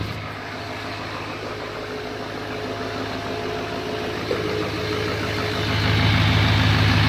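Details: 2017 Chevy Silverado 2500HD Duramax diesel, first start after installing a Banks Ram Air intake: steady diesel idle with an even clatter of about four beats a second, smooth, nothing loose or whistling. Normal idle.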